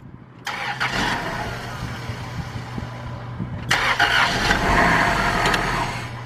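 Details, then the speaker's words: 2002 Dodge Stratus 2.4 DOHC after timing belt replacement (old belt found dangling): cranks, catches, slightly uneven idle with occasional stumble; slight misfire on first start, run briefly. "It ran. It was a little misfire, but I can't really let this thing run for too long because of that."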